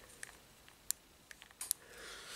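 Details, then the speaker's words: Burned-out old motor from a 1/8-scale toy-grade Hennessey Venom GT RC car, turned slowly by hand: a few sharp irregular clicks instead of a smooth spin. The motor seized up, which is why the car stopped; the gearing was not the problem. "so i'm spinning it and you can hear it right there that little click"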